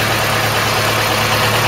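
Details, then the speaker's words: Old engine that had not run for a long time, now with no smoke at startup or while running. A steady, even idle with a smooth low hum and no knocks or misses: runs sweetly, a normal idle. "there's your donkey no smoke when it starts up no smoke when it's running really sounds sweet"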